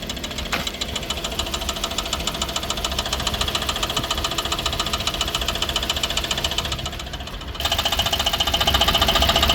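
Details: 2016 Ford Explorer 3.7L V6 petrol engine running, warranty inspection: a steady sharp knock, roughly four raps a second, over a busy clattery engine sound, engine knocking.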